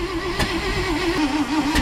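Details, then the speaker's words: 1970 International Loadstar truck with new electric fuel pump, after grounding fixes and weak battery: cranks and catches unevenly, coughing and sputtering with wavering tone, chugging but not running cleanly. "you think she's grounded let's see oh she's chuggin"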